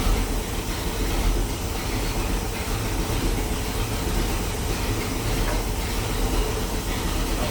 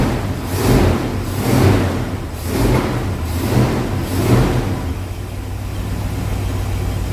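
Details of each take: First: 1973 Pontiac Ventura, rebuilt 350 Pontiac V8, replacement carburetor after four-corner idle screws were set and mixture richened: even, steady low rumble with no pops or misses; popping gone, normal idle. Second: 1973 Pontiac Ventura, rebuilt 350 Pontiac V8, replacement carburetor after old gas removed: rough idle with a dull pop and surge about once a second, then settling; idle mixture screws uneven (1.5 turns front, 0.5 rear), owner expects setting four-corner idle fixes the pop.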